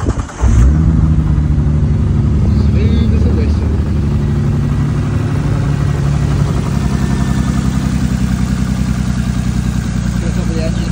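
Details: Nissan R33 Skyline, cold engine after spark plug change and reconnecting all six coil packs: deep, even idle with steady low rumble, no misses or stumbles, all six cylinders firing cleanly.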